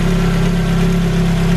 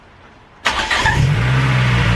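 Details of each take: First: Ford Focus RS Mk1 just refitted after crankcase helicoil repair and new oil sump, first start-up, not yet warm: steady idle with deep even hum and faint light tappet tapping, typical for these engines; normal. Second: Ford Focus RS Mk1 petrol engine at first start after a crankcase helicoil repair and new oil sump, months off the road: rough, slightly misfiring start with light valve-train tapping that calms into a steadier idle.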